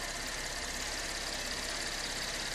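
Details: 2013 Chevy Impala after water pump and power steering pump replacement, idling to reach temperature so coolant can be topped off: steady, even idle with a smooth hiss, no knocks, ticks or misses; normal idle.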